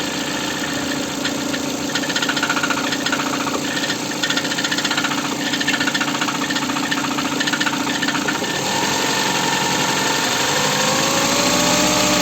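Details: Ford engine: sharp, regular knocking at roughly four beats a second over the idle; internal engine knock, source undetermined.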